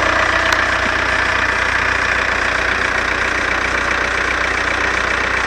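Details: Seat Cordoba at idle with a fast rhythmic chatter about three per second from the front of the engine; owner suspects the alternator belt but the cause is unconfirmed. Belt noise at idle.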